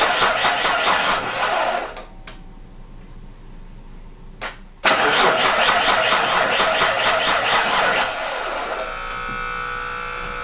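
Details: Mitsubishi Pajero 3 GDI just after replacing the injection-pump (ТНВД) fuel filter, started to check fuel pressure: two spells of steady starter cranking at about two beats a second, never firing; cranks, no start.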